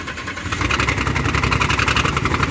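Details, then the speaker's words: Ford Transit van at idle: fast even chuffing pulses about ten a second, like gas puffing out; rough running, suspected bad exhaust manifold leak or spark plug blown out of head, not confirmed. "You know what it sounds like to me actually? Exhaust manifold. It's either a bad exhaust leak or it sounds like on the old 460, the 5.4s, like a fucking spark plug out of the head and it's blowing compression out."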